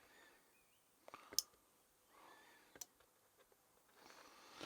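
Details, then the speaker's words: Train Tech RL1 DCC relay controller, mic held close: a few sharp, light clicks about a second apart as the relay switches on throw commands, working normally. "So I'll send a throw command, and you can hear that clicked and clicked again. I'll just put the mic by it so you can hear. So that's the relay working."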